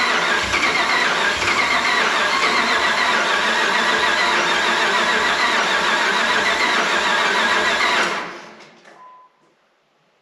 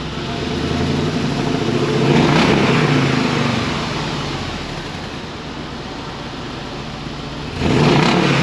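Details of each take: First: 2005 Dodge Ram 1500 4x4 with a swapped donor Hemi V8 and new fuel pump: steady cranking about four beats a second for eight seconds, never catches; suspected stale, bad-smelling gas, only 5 gallons fresh added, fuel line clearance unchecked. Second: 2005 Dodge Ram 1500 4x4 Hemi swap with new glasspack replacing the blown muffler, recorded from under the truck near the tailpipe; deep even V8 rumble swelling with throttle blips, settling back cleanly, no rattles or blowing: healthy exhaust.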